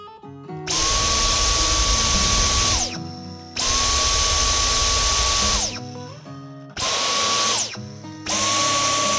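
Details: Dyson V10 Fluffy+ cordless vacuum after fitting a new compatible filter: starts, runs with a steady high whine and stops, three times, sounding normal; earlier surging and pipe-icon blinking came from moisture left in a washed filter.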